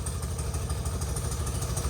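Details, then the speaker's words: Motorcycle first started after sitting 20+ years, with new fuel valves and oil pumped through, running with a little throttle: a lumpy, uneven low thumping with beats dropping out, seemingly firing on one cylinder; timing to be checked. Running on one cylinder. "Sounds like it's firing on one. I'd like to check the timing now."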